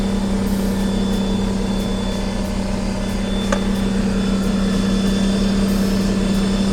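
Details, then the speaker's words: 2021 Ford F-150 PowerBoost idling while its onboard inverter powers an air compressor load: steady even idle with a low hum, no knocks or hunting. It does not go to high idle to carry the load; normal idle under inverter load. "all right so inside the truck here and yeah not high idling or anything well no it's not it's not high idling at all"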